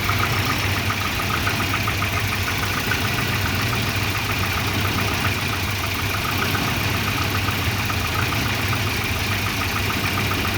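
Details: Volvo 240 petrol engine idling: uneven lumpy beat with light valve ticking; the O2 sensor gave erratic readings once the exhaust warmed up, and a new exhaust O2 sensor fixed the rough idle.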